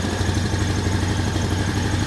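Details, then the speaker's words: 2001 Honda Foreman 450 ES ATV after sitting a while, air filter trashed, electric shift not working: a steady, even single-cylinder idle putter with no knocks or misses; engine runs healthy. "Yeah, too bad the electric shift's not doing anything, but we'll figure that out. Well, it sounds good."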